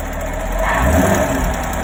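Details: 2017 Chevrolet Camaro 6.2L V8, about 20,000 km, stock, warm steady idle with a light fast tick over the low rumble; appears only when warm, rear driver side, loudest underneath near oil filter/pump; cause unclear, owner fears engine damage.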